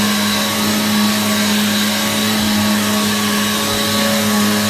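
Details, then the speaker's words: Free Hoover vacuum just repaired and reassembled, switched back on; smooth constant motor hum and steady fan rush, no rattle or scraping, loud, likened to a Hoover Pure Power, sounds much better than before. "this thing was really loud it almost sounds like the hoover pure power right"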